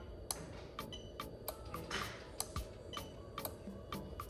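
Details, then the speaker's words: Toyota Chaser GX100 swapped to a Crown 1JZ-GTE VVT-i on a new plug-and-play harness, fuel pump test. The ECU-controlled fuel pump relay by the battery gives crisp, evenly spaced clicks about twice a second. The pump is driven normally. "Fantastic. Okay. Right. Super happy with that. That means the fuel pump is working exactly as we expected to."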